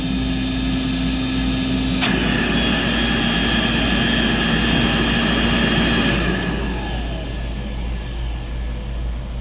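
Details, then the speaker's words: Vintage Compact C1 vacuum cleaner, cleaned and repaired, worn commutator, bag removed: steady motor roar with a thin high whistle on top that stops when the inlet is blocked; owner suspects odd airflow, cause unknown. "See that kind of like whining? But if I block this off, it doesn't do it. So, I don't know what that's about."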